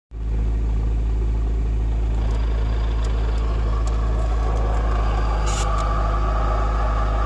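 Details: VAZ 2108/2109 release bearing check: steady idle with a constant low hum and faint unchanging whine; suspected clutch release bearing noise, not confirmed.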